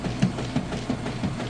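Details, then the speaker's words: Whirlpool Super Capacity Plus direct-drive top-load washer, three-speed motor, lid open with lid switch bypassed: regular soft thumps about three per second over low motor hum as agitator swings, clothes vortexing down; normal agitation. "you see that agitator doing excellent job getting those clothes Vortex down along all the fins for manual agitation"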